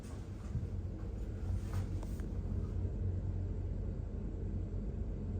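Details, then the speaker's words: Hotel bathroom exhaust fan reported as too noisy: a steady, low hum and soft rush of air with no rattling or clanging, and the fan is not loose. Normal exhaust fan airflow. "So I can't hear nothing rattling or clanging, that's just your normal airflow noise. So yeah, no, nothing out of the ordinary here."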